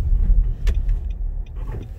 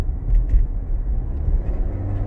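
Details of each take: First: 2016 Nissan Rogue AWD, road test after fixing a rattle/scraping noise under hard acceleration with fender washers and fluid film: steady low engine and road rumble, no metallic buzz or rattle. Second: 2016 Nissan Rogue AWD, scraping/rattle complaint with or without brakes, heard over bumps; hard acceleration at about 30 mph through the gears, deep road rumble with faint tinny rattle, confirmed exhaust rattle.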